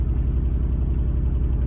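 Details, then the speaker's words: Nissan 350Z idling with management light on: deep, lumpy idle with uneven pulsing beat, shaky and lacking power, a constant misfire on one cylinder; the problem is intermittent and long-standing. "so the management light is on and you'll see now the R - I've just popped up and it runs like that and it's extremely annoying that it's not power and it's really shaky always a misfire in one of the cylinders"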